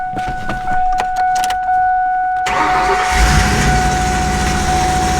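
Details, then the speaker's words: Turbo 5.0 V8 Ford Ranger with newly fitted starter, on factory programming after rich E85-type tune: clattering starter engagement with high steady screech, then rough catch; wrong starter not meshing cleanly, owner thinks it needs spacing. "Uh-oh. Doesn't sound good again. I think I might need to space it out or take some."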